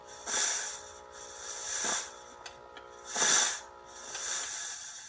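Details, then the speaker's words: Oreck floor steamer after retucking wires: heats with popping gurgling, then soft hissing steam puffs about every 1.5 s over a faint pump hum; normal operation, previously it would not stop running. "got her light heating I can hear it popping gurgling so we're making steam there's our lights on pull the trigger okay it's steaming filling the system"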